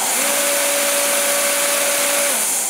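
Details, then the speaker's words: Torpedo heater whose fan was stuck, after the fan motor repair and with no diesel in it: a steady, even motor whine at constant pitch with no knocks, rubbing or wobble; the fan instantly spins in the correct direction. "just instantly takes off in the right direction"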